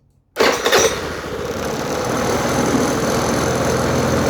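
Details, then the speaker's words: Aprilia Habana 125 scooter after its vacuum fuel pump was replaced, carb fed from a temporary bottle: it catches instantly, flares briefly and settles into a smooth, steady idle with no stumbling. Plenty of fuel flows even when revved; fuel problem solved. "There you go, good supply of fuel coming out, and even if I rev the bike, plenty of fuel coming out."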